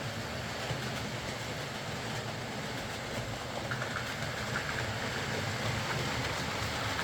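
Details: Old Lima Class 40 model locomotive in BR green on a replacement motorised chassis after the original front bogie failed; soft, even hum with faint rail clatter, pulls away slowly, quiet, smooth, no pickup issues, low current draw, no stutter or surging.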